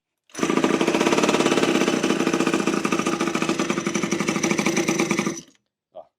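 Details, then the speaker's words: Scrapyard water-cooled two-stroke mini moto, possibly an SQ Blata B1 replica, probably unrun for years, just started on choke: loud fast crackling buzz holding an even high idle for five seconds, then cutting off. The air filter came off. Runs cleanly. "Oh, my air filter came off. Fantastic. That was running in under 25 minutes. It sounds epic."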